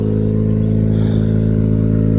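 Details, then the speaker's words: Mazda FC RX-7 rotary after an emissions delete, with the intake manifold refitted to fix an injector that seemed to have backed out and the oil catch can not yet hooked up. It holds a smooth, even, buzzy rotary drone with no misses or rattles and runs healthy. "sounds healthy, and I think it should just fire up every time."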